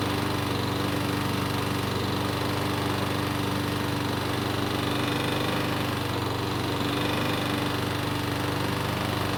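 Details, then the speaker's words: Troy-Bilt mower stored years on a shed shelf, probably not prepared for storage, now restarted and running steady and fast; light, fairly even knock under the exhaust note, starts reliably, diagnosed as a little rod knock (big-end bearing). "so the good news is that the engine start starts reliably and runs well enough however you already know the bad news and that is it's got a little rod knock"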